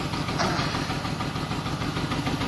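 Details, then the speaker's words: 2002 BMW 525i with check-engine light on: uneven, stumbling idle with a loping beat and exhaust-pulse dropouts; scanner codes show misfire on cylinders 2 and 4. "vamos a ver bastante fuerte el sono se oye la falla no sé si lo Oigan pero está fallando la"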